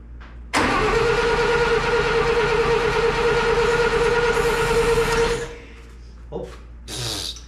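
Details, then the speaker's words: Satoh S-550G tractor, 4-cylinder gas engine: starter whirs about five seconds with even compression beats but never catches. Owner says it is getting fuel but suspects no spark (dirty connections or points); choke cable not reconnected. "Getting fuel, that's for sure. Oh, I couldn't get the choke cable back in. I screwed that. Actually, yeah, she probably ain't getting spark. Otherwise, I think she would have fired."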